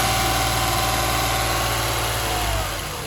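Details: 2007 Toyota Highlander 3MZ-FE rattling knock at idle: busy idle with a fairly regular light rattle near four per second, fading as revs drop; owner wonders about an exhaust leak, cause unclear.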